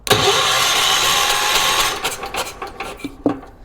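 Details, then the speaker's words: 1980s ORVCO Transtrack UTV after cleaning corroded points: a loud, harsh starter whirs for about two seconds and the engine never catches, with no sparking at the points. The starter motor is very noisy. "No, there's no sparking on the points when I open them. I do not know what I'm doing. Very noisy starter motor."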